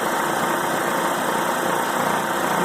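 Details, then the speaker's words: Brand-new Harvest Right oil-less vacuum pump on an older knob-style Harvest Right home freeze dryer, first start at the dry cycle: steady even rushing whir with no knocks, sounding different from an oil pump but softer and quieter, and healthy. "well they sound different that's for sure but not bad at all"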